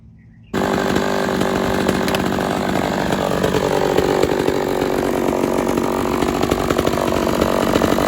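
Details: Homelite XL-113 chainsaw test run after reassembly to cure its idling problem, a cracked part found as a cause: starts abruptly, then holds a steady buzzing two-stroke idle with no surging or dying out.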